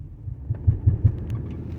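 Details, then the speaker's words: 2012 Dodge Durango while turning: low, dull knocking thuds over road rumble. It sounds as if the driveshaft is hitting something, pointing to a worn driveshaft center support bearing. "Torena, se oye un golpeteo. Oye, Ahí."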